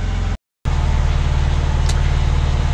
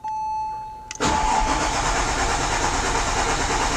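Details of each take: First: 2004 Porsche 911 (996) Turbo after oil change, idling until operating temperature (just above 180): smooth, deep, steady idle with even beat and no ticks, knocks or misses; healthy warm idle. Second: 2004 Porsche 911 (996) Turbo after an oil change, with the fuel pump fuse pulled to pre-lube. The starter churns steadily at about three pulses per second after a brief tone, never starting, while oil pressure rises to between 2 and 3.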